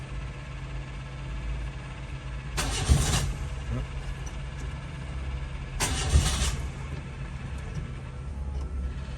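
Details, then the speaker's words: 1985 Ford Laser KB GL, Thai-market, throttle body fuel injected, electric fuel pump audible at rear: two short cranking bursts a few seconds apart, then the engine catches into a low rough idle; hard starting, owner says it sometimes needs the fuel pump run first. "I think sometimes this thing needs a little help you just let the fuel pump run for a while"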